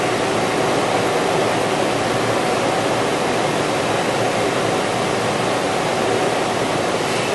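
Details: 2003 Toyota 4Runner 4.0 idling right after a new drive belt was installed. Smooth, even running with no squeal, chirp or slap from the belt; normal idle after the replacement.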